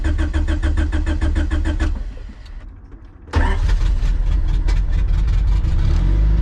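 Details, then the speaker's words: Honda CRX with LS/VTEC turbo engine converted to OBD1, first start with check engine lights on: idles briefly, sags and dies, then restarts; stalling after start, owner suspects no fuel in the tank. "obviously we got a couple check engine lights right and it just died no worries turn it on again"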